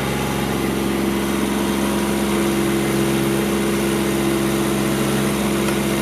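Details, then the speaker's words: Kubota GR2110 diesel mower running with hydraulic deck lift working and shaft-driven mowing deck engaged after topping up low, hardened hydraulic fluid: steady, even diesel drone with constant whirring deck-drive hum like a helicopter about to take off, no knocks; normal running. "the mowing deck shaft driven you can hear it it sounds like it's like it's a helicopter about to take off"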